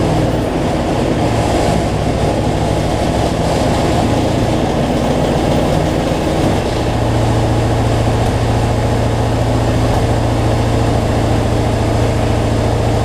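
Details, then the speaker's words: Cub Cadet zero-turn mower, Briggs V-twin, after fixing something too tight that made the governor race; no black smoke from rich running now; steady, even drone at constant governed speed, no surging; normal running. "let's see what we got so much better though no black smoke"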